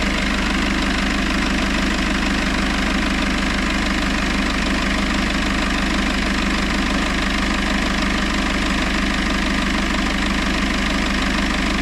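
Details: Citroën C4 Grand Picasso 2.0 BlueHDi 150 diesel after head gasket repair and engine refit, warm, idling: steady, even clatter of about three beats a second with no misses or knocks.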